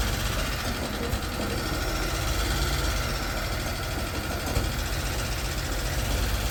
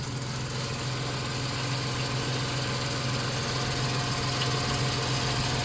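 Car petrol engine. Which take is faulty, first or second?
first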